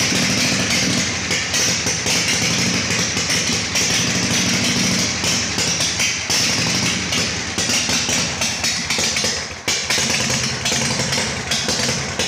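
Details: Harley Shovelhead chopper V-twin after new battery, solenoid rewiring and ground fix, engine hot during carb adjustment; loud uneven running with irregular sharp pops and stumbles, not improving; owner suspects it needs jetting: rough running.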